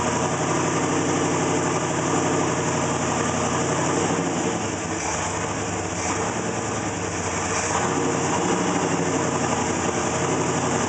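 Idle lopes and wavers unevenly instead of holding a smooth beat, with the tone dipping midway; a rough idle, cause not yet pinned down.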